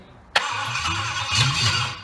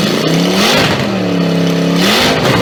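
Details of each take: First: Triumph Stag V8 on a test bed after full rebuild, start attempt on jump pack with rebuilt carburettors; sharp start then uneven cranking that catches briefly without picking up, fuel not reaching carbs; carbs later found misadjusted, firing order also wrong. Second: Triumph Stag V8 on a test bed after full rebuild, after correcting carburettor adjustment; strong V8 burble climbing and falling cleanly through several throttle blips then dropping off, normal healthy running and revving.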